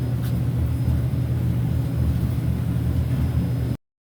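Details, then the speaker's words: Samsung dryer after replacing all four drum rollers to cure loud noises: smooth, steady low hum with no squeal, thump or scrape, much quieter than before; normal dryer operation. "Power button. Give it a try. [Music] Way quieter."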